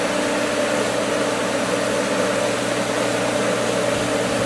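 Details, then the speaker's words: Pool pump at season opening, skimmer valve opened slightly on air-filled winterized lines. Rushing hiss over mid-pitched hum, hollow churning; pump drawing air, struggling. "Oh, she's trying, but she's losing. It's sucking on it."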